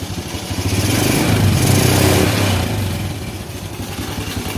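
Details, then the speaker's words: Honda Supra Fit New motorcycle running with heavy smoke (ngebul) and a very loud, rough, clattery idle with an uneven thump about four times a second; rough, noisy engine running, diagnosed before disassembly. "Oke, setelah asapnya itu ngebul, itu suara mesinnya sangat berisik sekali."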